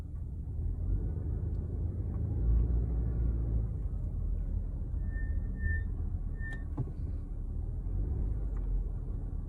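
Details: 2019 Subaru Ascent driving with short high-pitched brake squeaks over road rumble; squeal began around 7,000 miles, worsening, constant at just over 16,000 miles.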